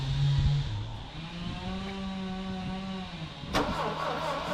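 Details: Saab Sonett III, first start attempt since sitting from 2012, with the distributor loose and timing position uncertain but firing order confirmed correct: a steady whirring crank with uneven chuffs and a brief catch that dies away. It cranks but won't run.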